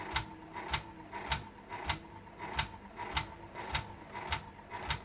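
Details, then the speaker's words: Honda Accord Euro 2003–2008 car stereo just powered up, with no front-panel display: sharp regular clicks about every 0.6 s over a faint hum; the CD mechanism keeps trying to turn and fails. "i just powered up the earth now you can hear the model that tried to do some turning but it's not working"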